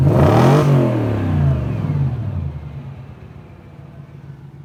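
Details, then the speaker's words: 2004 Audi B6 S4, about 105,000 listed miles, engine warm: quick throttle blip, revs rise cleanly then fall back to a smooth, steady idle; motor fine, owner ran it to 6,000 rpm with no problems. "I ran it up to 6,000 RPMs. Motor's fine. Nothing wrong with the motor."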